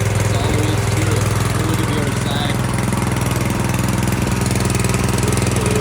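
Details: Brand-new Harbor Freight Predator engine just swapped onto a rear tine tiller, first start out of the box: steady even single-cylinder putter at fast idle, smooth and regular, no knocks or misses; running healthy.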